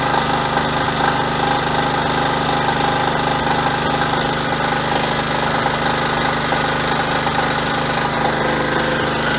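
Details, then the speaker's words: Generator small engine, choke off, carrying added load: steady even drone, no misses or hunting; normal running under load. "i want to run it until the gas runs out i'll put the load it should run faster"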